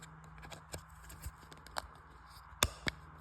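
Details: Audi R8 paddle shifter after removing broken plastic clip pieces that kept the button from being pressed: crisp plastic clicks as the paddle is pressed by hand; the switch actuates freely again.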